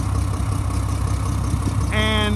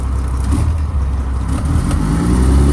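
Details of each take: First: 2007 Mack MR688S roll-on/roll-off truck diesel, running over 40 minutes: slightly uneven idle with rough puffing edge from exhaust leak, reportedly a cracked exhaust manifold; drives and revs fine. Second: 2007 Mack MR688S roll-off diesel truck, warm after running over 40 minutes, suspected cracked exhaust manifold, some smoke: a deep rumble revving smoothly with a gear-like, non-knock noise. The engine sounds healthy.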